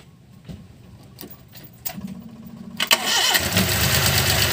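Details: Suzuki Multicab F6A 12-valve engine, after the hard-starting fix where a blocked carburetor fuel return line was cleared and now flows: a few clicks, then it catches at once and settles into a smooth, steady idle.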